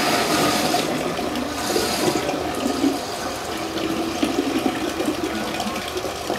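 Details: Shimizu water pump with check valve drawing from a distant well until empty: steady rushing water over an even running drone, no rattles or surging; pumping normally.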